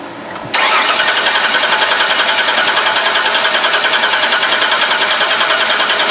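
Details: 2005 Ford Freestar 3.9L after engine swap, no spark or injector pulse; steady fast starter cranking at about three and a half beats per second with no firing, cranks but won't start.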